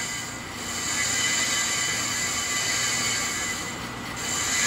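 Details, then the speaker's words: Accu-Turn 8922 brake lathe machining a worn brake rotor from a car's brake job; bits fed in manually, continuous high hissing scrape swelling and fading as it cuts unevenly across a rotor worn with poor parallelism. "we might get to sound like we're cutting off a bunch here in a minute you hear that yeah okay because this thing is worn with a lot of parallelism"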